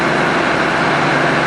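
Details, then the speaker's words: 1965 Plymouth Savoy slant six automatic, revived after 19 years sitting, warming up, heard from the rear: smooth, even idle with steady low hum, no misses, knocks or shaking; normal idle. "Listen to it back here. This thing is just singing."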